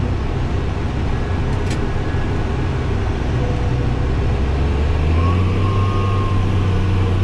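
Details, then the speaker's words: Case 305 diesel tractor disking with 33 ft disc, ninth gear, about 1,800–1,850 rpm, about 5.3 speed: high chirp creeps in under load about five seconds along, fades when rpm slowed; cause unclear. "when I slow the engine RPM down you'll hear that sound go away and that way there it kind of went away now when we turn here you'll hear that uh odd noise come back"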